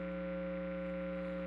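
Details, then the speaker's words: 2018 Gibson Les Paul Classic with P90 pickups, amp cranked, no notes played: steady buzzy hum from radio-frequency/electromagnetic interference from nearby power transformers, not the guitar, amp or power source. "I would say the majority of the time the hum you hear is not caused by the guitar it's not caused by your power source it's not cause it's not caused by your amp it's uh it's radio frequency interference it's coming through the air"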